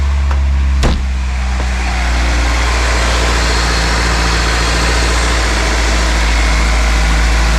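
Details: Acura Integra four-cylinder idling after power steering work: initial slight whine as the power steering line fills and air purges, settling to a steady, smooth low hum; normal idle.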